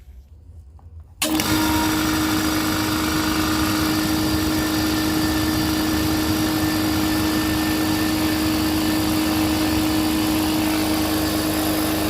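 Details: Air compressor restarted at about 20-27 psi after resealing a leaking fitting with non-hardening thread paste: quiet room, then a steady, even drone with constant pitch and no knocks or rattles. Runs normally.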